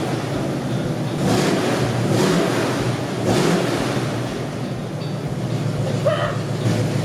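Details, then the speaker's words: Squarebody C30 crew cab dually, 454 V8, after a new cam and lifters and timing adjustment: deep rumble holding steady, swelling slightly with light throttle and settling back without stumble or misfire; healthy normal idle. "you guys need to listen to this thing red we listen to it that sounds way healthier dude we really did something here"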